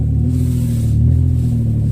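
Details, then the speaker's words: Toyota 4Runner after new ignition coils cured P0300 misfire; revved up and down with smooth deep even rumble, no stumbles or skips; running clean with no misfire. "you can hear that up and down here she is purring perfectly that's what we wanted"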